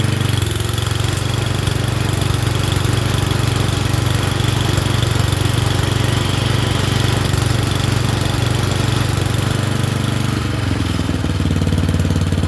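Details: Murray Select 30-inch single-blade riding mower: a steady, even single-cylinder drone with no misses or surging and a slight shift near the end. It runs acceptably and is burning junk off.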